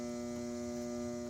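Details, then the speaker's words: Vintage Fleetwood sewing machine from an estate sale, powered on: steady electric hum at a fixed pitch with no rhythm of needle or shaft turning; the motor is energised but the mechanism stays stuck, and the owner suspects it needs oiling and cleaning. "old machine it needs to be oil this does move but i've worked on a lot of machines you have to open this inside and clean it"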